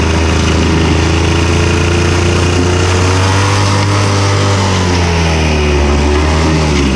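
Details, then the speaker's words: Victa Super 24/Super 600 70-series two-stroke mower, carb cleaned, on 500 ml fresh fuel while mowing: the steady drone wavers and sags in pitch as the tank runs dry, and the engine stalls from fuel starvation. "Anyway, I reckon that was fuel finally running out."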